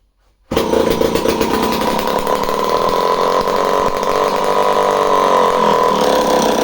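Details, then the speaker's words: Homelite C51 chainsaw just after starting: screams at high, slightly unsteady revs with thin hard edge, running slightly lean; fuel suspected draining back from carburetor, pump body seal found damp. "Did you hear how I initially started it? It just started to run a tiny bit lean, indicating to me that the fuel was already kind of traveling back away from the carburetor"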